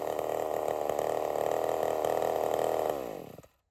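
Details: Race-prep test cut with a sharpened Stihl 23 RS chain, filed at a slightly hungrier angle: a steady, strong high buzz holds under load through the cut, then falls away cleanly as the throttle drops; a healthy, well-tuned chainsaw under load.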